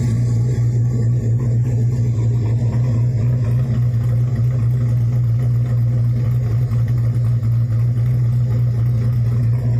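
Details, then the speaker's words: Chevy S10 with a newly built LS 383 stroker, big cam and single Dynomax exhaust, warm idle after rebuild: deep, heavy, steady loping rumble with no knocks or ticks; healthy motor. "nice note my brother's trying to talk me and i'm putting uh sorry uh true ghouls back on it"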